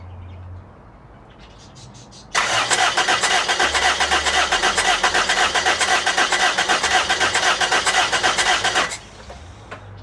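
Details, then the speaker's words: LKQ replacement 1ZZ engine installed in a Toyota Matrix XR, partly connected, cranked to prime and check it: even starter cranking about four beats a second for six seconds, steady compression pulses, no knocks or misses; normal cranking. "i'm just going to connect as much as i can that is required to just prime the engine and crank it just so i can see our guy can hear how the engine sounds like"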